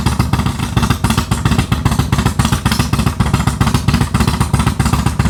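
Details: Harley Dyna with Comp Cams 4102 cam, idling after a custom ThunderMax map built from scratch because no base map existed: loud, lumpy V-twin idle with steady, evenly spaced deep beats about three to four a second; normal, well-tuned idle.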